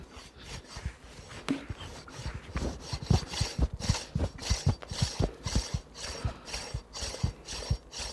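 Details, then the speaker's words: A failing AC compressor's pulley is turned extremely slowly by hand, not spinning on the vehicle. It gives rough, gritty, uneven scraping strokes about twice a second, typical of a compressor falling apart. "as you can see it's making some sort of scraping noise and that is just me turning that pulley extremely slow"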